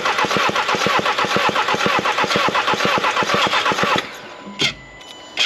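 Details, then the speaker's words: Skoda Octavia vRS mk3, compression test on a slightly flat battery: steady cranking at about two even beats a second; cylinder 2 reads 12.5 bar, which is fine, versus zero on the first cylinder tested. "and there we go look just to prove the battery is not the issue here we're at 12 1/2 bar which is absolutely fine for this engine"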